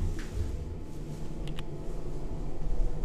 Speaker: это нормальная обычная работа вентилятор стать работает но так очень сильно гудит